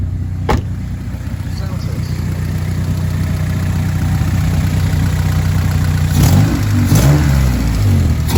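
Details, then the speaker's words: Honda D16Y7 after installing budget homemade short ram intake, warmed up 5-10 minutes, no check engine light; even four-cylinder idle then quick clean blips with audible intake sucking, no misfire or rattle; healthy. "You can definitely hear it sucking up air. Sound different."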